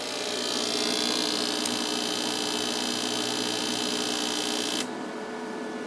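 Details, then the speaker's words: Victron MultiPlus inverter (owner's third; issue seen on all of them) running a heat gun at 600 W: loud steady hum with harsh high buzz under load, dropping sharply when the load cuts; voltage sags badly and the sine wave is distorted. "actually you see the voltage drops really badly sine wave is horrible and listen to the inverter"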